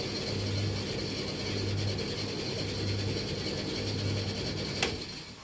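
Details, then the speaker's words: Bosch XL7, belt running directly round with no jockey wheel: steady motor hum with a low rhythmic ratcheting knock about once a second from the back underneath; cause not yet found. "It's not, at least it's not a jockey wheel. This doesn't have a jockey wheel, this just goes directly round the belt goes directly round the definitely coming from that side. Okay, it's definitely coming from back down here."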